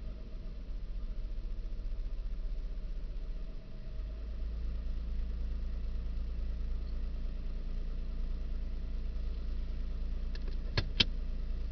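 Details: 2000 Nissan Xterra, dash-area recording while shifting from reverse to neutral to drive: low, slightly uneven idle drone that drops in pitch and gets heavier on the shift at four seconds; owner believes rpm is incorrect, rough idle of unknown cause.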